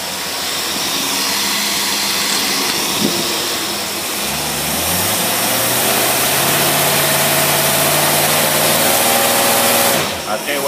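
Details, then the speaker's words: Holley double-pumper race carb in for rebuild, tested on a running V8 with choke hooked up: revving from idle gives a harsh, uneven barking and snapping through the exhaust; jet far too big in front, far too small in back. "You got way too big a jet in the front and way too small a one in the back. You hear it barking?"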